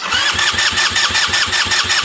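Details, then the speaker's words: 2007 150cc GY6 scooter, parked since 2016, uncleaned carburetor, fuel system just primed: steady starter cranking about four turns per second without firing; cracking the throttle loses vacuum so the vacuum fuel pump stops, and fuel drains back. "okay so when I crack the throttle I lose vacuum and the fuel pump doesn't turn so oh it is back draining"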